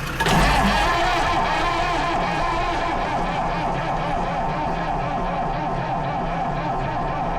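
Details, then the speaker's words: Lansing Bagnall Model A tug, Perkins P4 diesel, with heat applied after a weak first try: the starter churns steadily, gives one brief firing puff, but never catches. It has compression. "oh nearly she's trying you know she's trying oh dear sounds like she's wanting to go but it's not having it"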